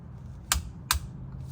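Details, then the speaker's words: 2014-2020 Acura MDX rear differential fluid change, plug tightened with a torque wrench set to 32 ft-lb; two sharp metallic clicks about half a second apart signal set torque reached; torque wrench click. "do you hear that little clicking noise when you hear that clicking noise that's how much when you've reached your your setting so that's 32 foot lbs listen"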